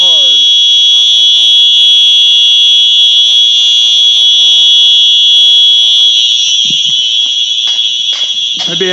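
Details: Simplex 4903-9236 fire alarm horn on test, heard outdoors after fixing a faulty wire; loud, piercing, high tone pulsing rapidly and evenly at about four pulses a second, sounding normally.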